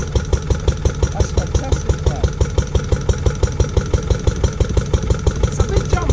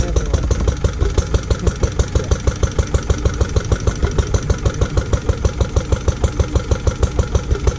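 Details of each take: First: Restored Lister D petrol engine on a compressor trolley, first start after 20+ years: regular strong thumps about three per second, steady rhythm; old engine running evenly and sound. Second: Lister D petrol single-cylinder barn find, first start in 20+ years after restoration: thumping about three beats a second, lumpy and irregular. Owner suspects too much timing advance and carb settings; uneven running.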